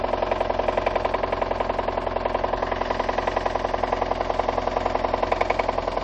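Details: VAZ 2114 engine at idle: hard, even metallic knock about three and a half per second, loud and steady throughout; connecting rod bearings of cylinders 2, 3 and 4 spun, plus burnt valves.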